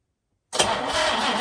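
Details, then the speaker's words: 1966 Jaguar E-Type OTS Roadster, first crank attempt after over half a century, new battery, ignition on, cylinders treated with Marvel Mystery Oil: starter spins the engine strongly with steady, even chugs; good compression, normal healthy cranking. "right sounds like she's got compression I think is this going to work all right that's working"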